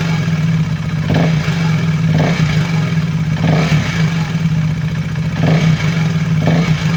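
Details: KTM Duke 390 V2 single after repair: intake and exhaust camshafts and two rocker arms replaced, clearances in spec, earlier rev-rising rattle from head oil passage blocked by gasket maker; several throttle blips with even clean note, faint valve chatter; normal.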